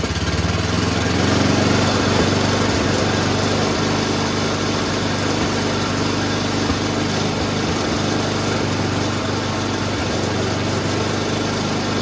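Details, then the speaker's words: Noma/Murray Snow King 27" dual-stage snowblower, 9HP Tecumseh, started with the electric starter after a carburetor swap, fuel test and new fuel line: a steady, even buzz with no miss, surge or knock. The engine runs great; the drive system problem remains unfixed. "today we swapped out the carburetor tested the fuel got a new fuel line through there engine runs great"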